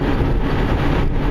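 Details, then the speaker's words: 2005 Subaru at road speed: deep steady rump-rump rumble that gets worse and better, from a worn rear wheel bearing, before pressing in a replacement. "driving down the road. You can sort of hear a rump, rump, rump, rump. That's a rear wheel bearing, 2005 Subaru."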